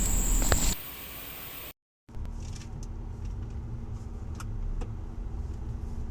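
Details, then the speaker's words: Ford Raptor (F-150) pickup on a road test after repair: steady low road rumble and faint hum, with no grinding. Before the fix, the left front wheel ground like 4WD engaged because a vacuum leak kept that hub from disengaging; the vacuum pipe was repaired with a double tube. "ਜ ਪਹਿਲਾ ਗੱਡੀ ਗਰਾਡਿੰਗ ਸਾਡ ਕਰਦੀ ਸੀ ਜ ਦੀ problem solve ਕਰਤੀ ਤੇ ਬਾਕੀ ਗੱਡੀ ਣ ਆਪਣੀ ਰੈਡੀ ਆ ਜਾਣ ਲਈ"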